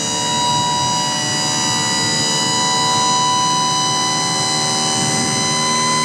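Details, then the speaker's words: KM International KM 8000TEDD asphalt hotbox reclaimer, dump body raised with the key fob up switch; steady, even whine from the hydraulic power unit at one pitch, no strain or chatter. Normal hydraulic dump operation. "You got a nice little key fob here with the up and down switch. All you do is turn it on, and you want to dump, just hit it to up. This unit dumps absolutely fantastic."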